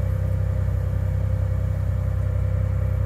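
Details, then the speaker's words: 1991 Ford F150 4.9L, real-time tune adding 500 rpm to the idle air table: steady, even low engine drone as idle rises from 700 to 1200 rpm as commanded; high idle working correctly. "you can see yeah it went from 700 to 1200 on your dsd rpm and it's right where it's supposed to be"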